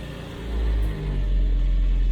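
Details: Land Rover Series III 109 van after long storage, with a borrowed battery and primed fuel pump, started on choke in neutral: a deep, low rumble catches and holds a steady, even idle without coughing or hunting; it runs normally.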